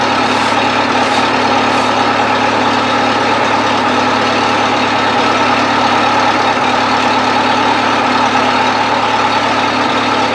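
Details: 1970s Bobcat 610 skid steer after cold start on choke: even, steady idle rumble, no knocks or misses; runs smoothly.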